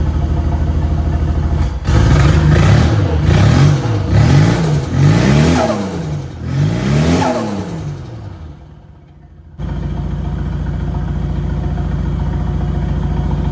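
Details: VL turbo project, start after rechecking ignition timing: engine catches, takes several clean rev blips, then settles into a steady idle; running on its own with timing about right.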